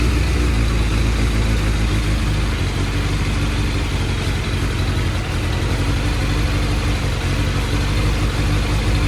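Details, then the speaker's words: Suzuki Bandit 600 motorcycle at warm idle (tick over) with carburettors out of balance. The idle sounds lumpy and uneven, with beats wandering instead of holding steady. The bike runs fine otherwise, and the carbs need synchronising and pilot screw adjustment. "so as you can probably tell it's running a bit lampy at the moment"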